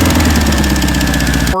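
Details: Air-cooled VW flat-four on a starter stand after setting ignition timing near 7.5° BTDC, vacuum advance unhooked: even, low, steady idle with regular rhythm and no misses or hunting; idling normally.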